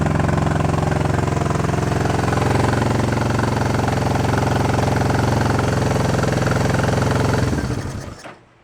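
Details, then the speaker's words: Honda CB350 twin running on both cylinders after fixing no-spark side, chokes off: fast steady hard beat, no drop-off until shut down; carb idle adjustment screws found run in way too far and backed out; racing high idle. "Of course, I missed the money shot, but we're running on both, and it was screaming, so I didn't want to go turn the camera on."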